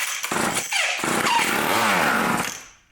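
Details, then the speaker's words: Old vintage Craftsman Power Sharp chainsaw given a shot of starting fluid: catches with a raspy buzz, runs about two seconds, then sags and dies; has compression and spark, so the carburetor is the likely cause of the fuel problem. "so there you have it we know it's got compression and we know it's got spark so it's probably the carbit trator"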